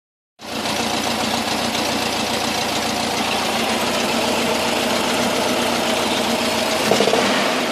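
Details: VW Camper 1600 TP air-cooled engine at cold idle: busy, rattly running with a knock tapping about four times a second; goes away once warmed up, not fan or alternator related, cause unknown.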